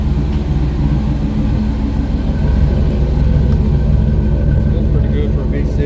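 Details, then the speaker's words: 1996 GMC C1500 4.3L V6, check-engine torque converter slip code, likely Flowmaster 40 muffler: deep steady low throaty rumble, no knocks or misses; smooth healthy idle. "Has a think like a Flow Master 40 on it if I remember right. It's not bad at all."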